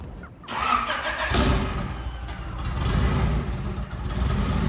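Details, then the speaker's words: Abandoned turbocharged Honda Civic EK hatchback, warm start: engine settles into a rough idle with a loose, irregular rattling chatter; turbocharger shot, with audible chatter and visible play in the wheel from worn bearing. "Yeah, it's got, you can hear it. You start it up and hear it, you'll hear the chattering and play."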